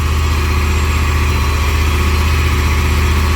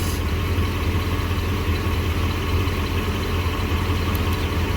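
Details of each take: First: Jeep Grand Cherokee V8, single catalytic converter, held around 2,000 rpm with a misfire: uneven stumbling exhaust beat, unburnt fuel heating the cat to about 560–570 post-cat vs 415 pre-cat; engine misfire. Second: Jeep Grand Cherokee V8, single catalytic converter, idling warm after a few minutes, before any coil pulled, recorded from underneath: deep even burble, no skips; pre-cat about 230, post-cat 190; normal idle.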